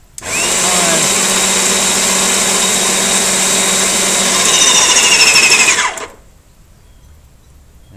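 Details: Wagner 9190 airless paint sprayer after pump repair, pump in bucket of water: loud even buzzing whine about six seconds then cuts off cleanly; no leak past piston where it previously gushed and ran nonstop, pump healthy.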